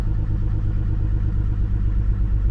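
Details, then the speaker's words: 2002 GMC Envoy after spark plug replacement: steady even idle, smooth low rumble, no stumbles or misfire. "everything seems to be doing good right now it seems like it's a job well done"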